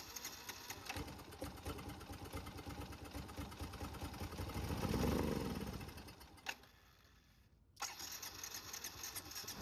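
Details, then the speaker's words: Carbureted Yamaha motorcycle with leaking carburetor flooding fuel into air box and crankcase oil: starter churns heavy and wet with labored swell then dies, like liquid in the cylinder; flooded engine. "Dari sini mulai terdengar seperti ada suara air di bagian silinder dan juga bagian mesin."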